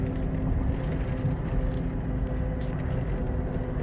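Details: Suzuki Caribian tires, four nearly new mud-terrain tires, heard at 80–100 km/h: steady deep droning road rumble without rhythm or knock; the roar grows louder with speed.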